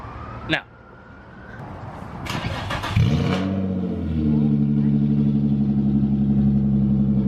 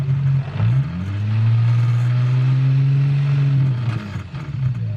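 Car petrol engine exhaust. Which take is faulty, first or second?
first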